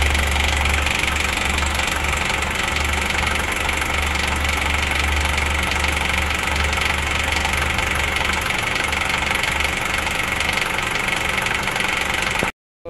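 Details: Honda CR-V second generation petrol engine idling with quick busy rattling tick about four per second; camshaft feared, noise traced toward valve cover, damper and timing chain area, timing chain inspected — engine top-end rattle at idle.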